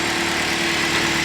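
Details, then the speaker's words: Chevrolet Malibu, first start after repair for P0016/P0017 cam/crank correlation codes: steady, quiet idle with an even hum and no ticking, rattle or hunting; engine absolutely quiet, normal idle. "look at that perfectly quiet sounds amazing"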